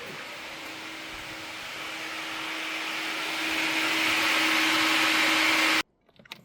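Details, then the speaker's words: BMW E46 with V8 swap, battery reconnected after wiring repair and cooling fan switched on: a steady electric whir and low hum builds smoothly as the fan spins up, then cuts off cleanly. Normal fan operation. "Battery on. Fan switch. That sounds promising."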